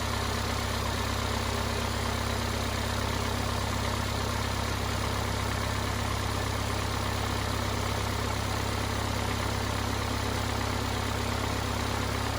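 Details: Cummins 4BT four-cylinder diesel in a Power Wagon, first run since 2015, new filters, temporary battery, 8 psi fuel pressure, not hot; steady even clatter with smooth deep rumble, no misses or knocks: normal idle.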